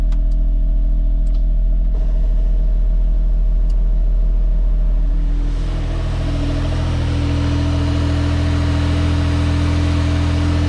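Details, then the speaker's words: Suzuki AZ-1/Cara, F6A DOHC, on a lift after new AC and alternator belts: small engine idling, AC compressor engaged, steady whir over the hum. No belt squeal, earlier hiss gone; the owner doubts the whir is normal. "so the ac compressor is on it seems to be running and i'm going to rev it up a little bit because that nasty noise is from the"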